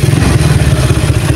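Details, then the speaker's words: Motorcycle with a PWK carburettor reset, pilot jet 38 and main jet 110: starts first try and settles into a steady, even low idle with no hissing or sputtering; the carb idle is set right. "langsamnya juga seperti ini ya langsam karbu yang pas itu seperti ini tidak terdapat suara ngeses dan suara berebet ya"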